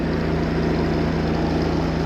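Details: Chevy 250 cubic inch inline six, cold start, running after fixing reversed distributor firing order: steady, even low idle with smooth unbroken beat, no knocks or misses; vacuum about 16–17.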